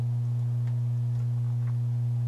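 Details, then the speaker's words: 1965 Packard Bell solid-state AM/FM console stereo after one 1000 µF 50 V capacitor was tacked across the bad main filter capacitor: a steady low hum, softer but still present, at 39 V DC and 0.19 V ripple. A second capacitor later eliminated the hum. "okay it is tacked in place let's go ahead and give it some power now wow still got a hum not as bad"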